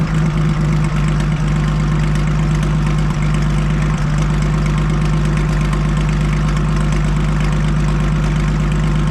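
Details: Farmall 560 tractor first fired up after its carburetor was reinstalled, idle being set: deep, steady low idle around two beats a second with a slightly loose rhythm, no knocks or rattles; running fine.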